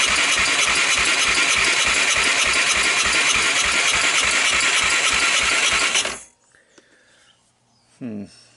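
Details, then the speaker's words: 1998 Honda TRX300EX single, abandoned outdoors about a year, dry compression test: starter cranks steadily about 200 beats a minute, light and even, no firing, reading 65, low compression. "65 I would have liked to see a little more than that"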